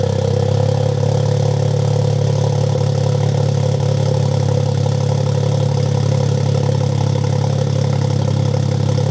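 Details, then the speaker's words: Freshly built Toyota GR Corolla after new spark plugs and factory injectors: steady, even idle with smooth low hum, no stumbles; cylinder 1 and 3 misfires gone, cylinder 2 only 2 counts. "Not even joking, replacing the spark plugs has made the misfires on cylinder 1 and cylinder 3 completely go away."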